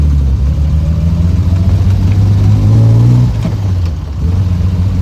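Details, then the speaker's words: Triumph TR6, likely 2.5 straight six, four-speed probably without overdrive, recently refreshed, idle set a bit low, heard while driving: strong even low exhaust note climbing smoothly with revs, no misses or knocks; healthy engine under acceleration. "but man I forgot how much uh how much pop TR6 has small car larger motor I think these are 2.5S um straight six four-speed"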